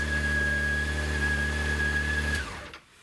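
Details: 2006 Honda CBR600 after fuel pump replacement, restarted on a hot day: a smooth, even idle with a steady low hum and a faint high tone, no misses or knocks, until it is shut off; healthy.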